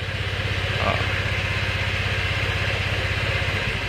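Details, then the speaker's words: Motorcycle with brake-light and electric-start fault, started with the rear brake lever pulled; catches and settles to an even putt-putt idle about four beats a second; front brake switch or broken wire blocks starting with front lever. "Jadi, kita starter dulu. Nah, dia nyala. Ini nyala ya."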